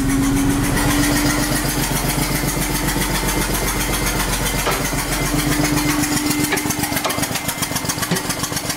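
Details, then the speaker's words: 1999 BMW E46 323i, M52TU engine, idling in neutral with spark plug blown out of cylinder 2 stripping the head threads: loud rapid chuffing about four a second on a rough idle; compression escaping, owner hopes extra popping is backfires. "first we'll start it up without the spark plug in so you can hear what it sounds like and it does drive like this so that sounds pretty bad"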